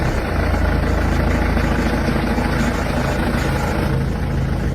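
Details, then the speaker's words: Mercedes-Benz M271 CGI engine on cold start: busy metallic rattle over idle for a few seconds, early sign of worn timing chain and cam gears due for replacement. "for a CGI engine it's quite easy to notice during your cold start you will hear a rattling sound for a few seconds"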